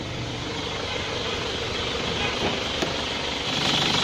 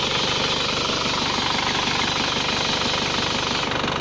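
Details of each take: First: Isuzu Panther engine at settled idle with AC switched on: a light chirping tick about four a second comes from the fan, not a compressor growl. The compressor is normal, and a temporary fix at the fan silenced it. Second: Engine idling with the AC on, a steady even hiss and soft pulse with no rattle or growl. The AC compressor is fine, with no compressor growl. The only noise came from the fan, which was silenced temporarily.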